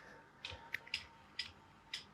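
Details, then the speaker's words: Petzl NEOX belay device, used about 3 months: light, sharp ticks at uneven spacing as the climber comes tight on the rope. This is normal clicking from the wheel rubbing against the blocking stops under rope tension. "When you start to hear that click, when it starts to be, the climber has some tension on the rope, you hear that little click as you're starting to get the climber tight on the rope."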